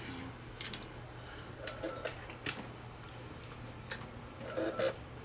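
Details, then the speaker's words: Sony RDR-HX750 DVD recorder with 160 GB hard drive, scratched disc inserted: faint irregular ticks and soft whirs as the drive keeps seeking, never loads, then ejects; disc not being read. "and that's apparently all it does it just sits there and goes it never loads"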